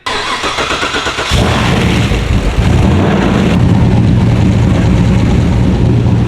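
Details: LS V8-swapped BMW E46: brief cranking, then a lumpy, wavering idle that never smooths out; still idling rough after many small fixes, cause not found.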